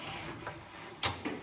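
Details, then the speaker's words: Skoda Superb with a loud noise when turning the steering: sharp, loud click and softer follow-up knock as the wheel turns, traced to the steering rack, which needs replacing. "this clicking noise is it is inside the steam rack and to have it rectified the steroid needs to be replaced you"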